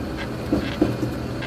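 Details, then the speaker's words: Toyota Tacoma driving at slow speed, phone in console: two or three short dull pops like distant gunfire over cabin rumble, heard from parking-lot speeds to about 45-50 mph; steering rack bushings replaced without effect; ball joint recall done. "that pop in it's not the squeak squeak is my seat let that pop pop pop pop that right there sounds like a little you know what it sounds like it sounds like you're at the range and when you hear the rounds going off you know a little bit in a distance"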